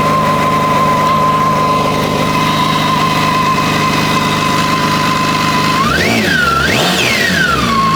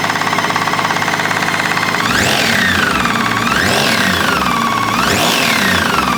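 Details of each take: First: BMW K1600GT motorcycle after an engine replacement for a connecting-rod-like knock: steady smooth idle, then several quick throttle blips climbing and falling cleanly with no knock or rattle; starts and runs normally. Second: BMW K1600GT motorcycle engine; owner already replaced the overrunning (starter) clutch and clutch basket without effect, mechanic suspects a connecting rod: rapid, hard metallic knocking, roughly three a second, through the revs; internal engine knock, cause unconfirmed.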